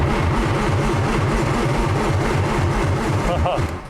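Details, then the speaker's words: 1995 BMW E36 M3 that sat two years, in neutral, cranking without the clutch pressed: quick, even starter chugging, about 3–4 beats per second, with no firing. Cranks but won't start; no fuel pump heard running. "it's cranking i don't hear the fuel pump running or anything yeah no fuel pump"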